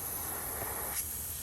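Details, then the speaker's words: 2013 Fiat Abarth, engine off, intake pressurized during boost leak test after intercooler install: steady airy hiss from boost gauge line rubbed through by the belt; boost leak. "so we have an actual boost leak here so everything else is looking great no air is coming out because you'd hear it really easy"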